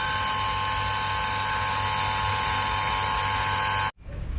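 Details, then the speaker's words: Household electric water pump not delivering water: flat, steady motor buzz with no spin-up whir, motor getting hot; rust flakes jammed the impeller so it cannot turn; fix is opening the pump (four bolts) and clearing debris. "ได้ยินเสียงมอเตอร์คางอืปืดแล้วก็มอเตอร์ร้อนนะครับมอเตอร์ร้อนนี่คือเศษสนิมนะครับซึ่งก็จะมีอยู่หลายชิ้นนะครับที่ติดที่ใบพัดปั๊มนะครับทำให้ใบพัดปั๊มไม่หมุนมอเตอร์ก็จะค้างอื๊ดๆๆแต่ไม่หมุนนะครับ"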